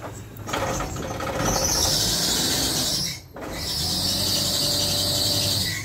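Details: Power-steering pump drive belt on a van squeals loudly and shrilly over the running engine, dropping out briefly then returning; belt already tightened, squeal persists for years; owner plans rubbing candle or surfboard wax on the belt's inside.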